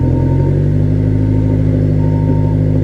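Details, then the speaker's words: Salvage-auction convertible with the hood open, exhaust listened to at idle: a steady deep idle with a slight gurgle from the exhaust, and no smoke seen at startup. It is otherwise running normally. "pretty good though. Sounds pretty good. No smoke. I didn't see a cloud of smoke when I started it or anything. I think it's all right."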